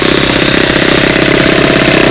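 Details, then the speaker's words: New small four-stroke model-aircraft engine breaking in, running rich at steady speed; loud rapid even popping beat with soft burbly edge, dirty oil coming out from metal-to-metal wear until it clears, then ready to install. "the oil, it comes out, it's dirty. Well, eventually it clears up. That's the metal to metal."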